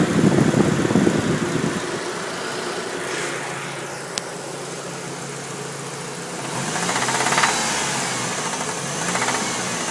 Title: 98 Dodge Neon engine knock